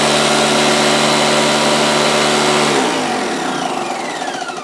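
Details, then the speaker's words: Porter-Cable 6-gallon pancake air compressor (1.5 hp, 3.5 SCFM at 90 psi): the motor roars at a steady pitch running freely, but no pressure builds and the gauges read nothing. Cause found: a broken copper discharge line. "basically you'll hear the motor run but no pressure the tank will not appear to fill and these gauges will not indicate any pressure at all"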